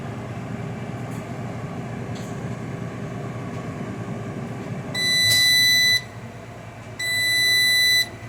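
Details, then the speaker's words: Air fryer after cooking: steady fan whoosh recirculating hot air, then two long even high beeps about two seconds apart; normal cool-down cycle. "all right right now it's doing the cool down"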